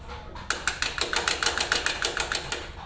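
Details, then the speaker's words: Suzuki Satria FU, chain slider pad unchanged about 5 years, over a speed bump: quick metallic clacking about six per second as the chain slaps the worn pad; replaced with a thicker Yamaha Jupiter MX old pad. "suaranya agak berisik makanya aku mau ganti dengan yang dengan milik Yamaha Jupiter MX yang old"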